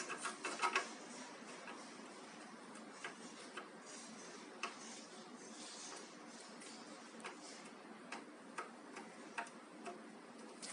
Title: Eg-Evkin cf-052 bad bearing cup